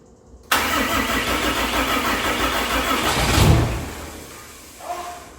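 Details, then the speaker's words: 600hp 6.7 Cummins-swapped hotshot truck that won't start: steady cranking whir for about three seconds, then a brief louder surge as it fires and dies; it is getting fuel, catches momentarily but won't keep running. "we had fire. [Laughter] Shoot. She ran. She ran for a second. That gives me hope."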